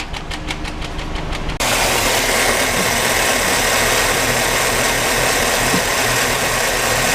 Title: Engine Ignition Misfires